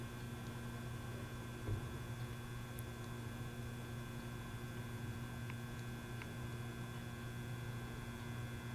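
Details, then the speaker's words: Rare 1950s Fisher-Pierce meter-base photocell switched on in a dim room with a blue flicker-flame bulb; steady low mains hum with faint higher buzz, owner guesses its amp tubes are probably bad, but it still functions; cause unconfirmed. "So you can hear it kind of hums a slight bit. I'm going to guess those amp tubes are probably bad in here, but it does still function."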